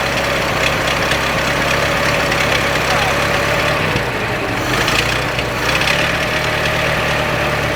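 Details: 1926 Ford Model T four-cylinder after tightening the muffler underneath: slow, even idle with faint exhaust thump, no rattles or leaks; doesn't sound bad at all, normal idle.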